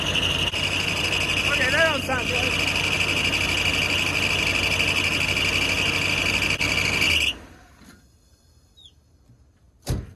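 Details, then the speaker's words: Chevy G30 RV engine running after alternator swap, battery disconnected: steady high squealing whine over the engine until shutdown; belt likely on wrong alternator pulley. "good holy that thing is hot wonder if maybe I got the belt on the wrong part oh yeah that's what it was it needs to go back yeah I got my belt on the wrong pulley I think"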